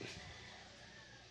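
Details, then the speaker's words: Car air conditioning with a new evaporator: a steady soft hiss behind the glovebox over the blower, air escaping where the old previously repaired plastic evaporator housing piece failed; cooling is otherwise cold, and freon had leaked from the high-side pipe. "So okay na sana, malamig na sana yung aircon. Ang problema, naririnig natin yung ingay doon sa loob."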